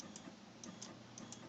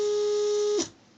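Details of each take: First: RepRap Prusa Mendel Y-axis stepper after swapping the X and Y axis connections: light, crisp ticks at an uneven stepping pace with no grinding or stalling, normal stepping. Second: RepRap Prusa Mendel Y-axis stepper, fault not in the Pololu driver since swapping drivers works: a piercing high whine for under a second that cuts off abruptly, the motor running too fast and moving only three steps.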